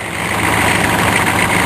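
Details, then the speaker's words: Diesel on a snowy cold start after glow plug cycle, heard from the front under the hood; busy, raspy mechanical chatter in the upper range over the low rumble, fan not disengaging; owner says the vacuum pump is getting noisy and needs replacing. "yeah my vacuum puff is getting noisy it's time for a new V vacuum pump real soon"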